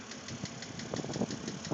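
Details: 2006 BMW Z4 3.0si idling, heard from the cabin, about 19,066 miles: light, fairly regular ticking knocks a few times a second. The lifters were already replaced with no change, and the owner hopes a head replacement cures the knock.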